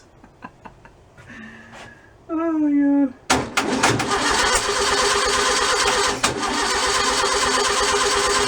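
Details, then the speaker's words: Freshly rebuilt stock 1600cc VW engine, first start, accelerator pump leaking: clicks, whirring crank, then catches and runs unevenly with choppy irregular pulses. Rough running after start; builder suspects ignition timing is off. "i'm gonna call it for the night i don't think it's timed right"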